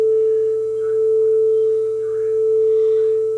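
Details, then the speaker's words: Playback of a 440 Hz test tone recorded on a calibrated deck, played on a Nakamichi DR3 under repair for no playback and shutting down, compared with a guitar tuner: a steady pure tone beating slowly, under once a second, so tape speed is correct. "oh listen to that that's how close they are I got them both running"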